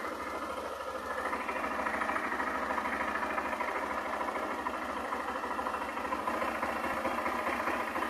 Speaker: moto falha consome a bateria quer morrer não carrega agora vou substituir o regulador de e vou fazer o teste